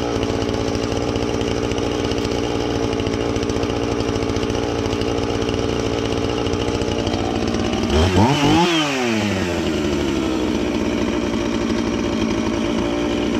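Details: Husqvarna 450 X-Torq chainsaw that wouldn't run, new chain and bar bought, started to check and adjust the carb (special adjusting tool bought): steady even high buzz rising cleanly into a quick rev and settling back smooth; normal running.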